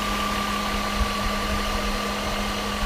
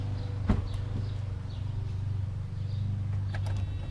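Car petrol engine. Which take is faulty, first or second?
second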